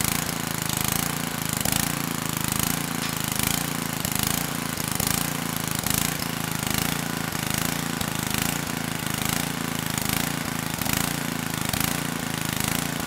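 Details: 1999 Generac 5000 W generator (10 hp Tecumseh HM100 flathead, previously lost compression) on its test run after carb work: slow, steady single-cylinder chug with a gentle pulse about once a second, no knocks or misses; engine running cleanly.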